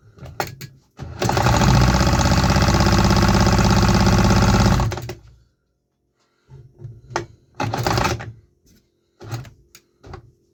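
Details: Homemade 3D-printed 125cc two-stroke with fuel injection and a carbon-fibre nylon exhaust, on its first test: a fast, even buzz for about four seconds, then dies to coughs and sputters. It shows life only on starter fluid, so injector fuel delivery is faulty.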